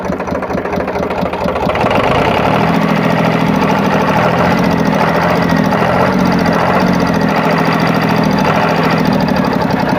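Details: Powertrac tractor diesel idling after water pump repair; steady even low beat, no squeal, rumble or rattle from the front pulley, which wobbled before; water pump noise now gone.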